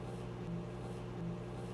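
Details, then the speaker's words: Microwave after replacing faulty $3 switch; on start, low steady hum with even buzz, no crackle or arcing, turntable and fan no longer self-starting; magnetron running normally, repair fixed it. "there's the buzz so we have fixed our microwave"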